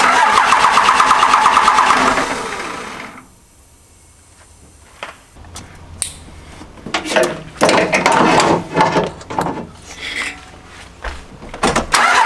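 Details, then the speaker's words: Second-gen 24-valve Cummins diesel project truck, restarting, cranks briskly and evenly for a couple of seconds but never catches; the AirDog lift pump isn't kicking on, so the no-start is from air in the fuel system. "So had a little trouble starting it up, and honestly, it was all my fault. So first issue, turn the key, crank it over, air dog's not kicking on."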